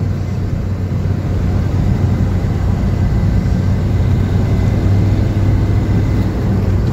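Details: 2010 Maruti Swift driven at cruising speed after a full suspension kit replacement with new original parts that fixed an underbody knock and vibration when pulling: a steady, even road rumble with no knocks or clunks from underneath; front suspension tight and quiet.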